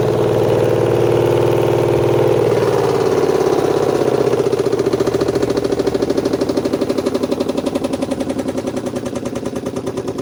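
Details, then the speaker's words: Washing machine spin dryer: falling motor hum gives way to loud uneven clatter about four knocks a second as the drum spins; cause usually cloth caught in it, suspected not yet confirmed. "Mungkin kalian familiar sama mesin cuci yang kerusakannya seperti ini. Suara di pengeringnya tuh gemelodak banget. Penyebabnya biasanya ada kain yang terjepit."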